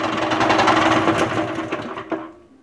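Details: Karcher HDS 100BE pressure washer pump running with a snapped crank, a big crack at the pulley keyway and timing completely out: fast, even mechanical knocking that slows and dies away.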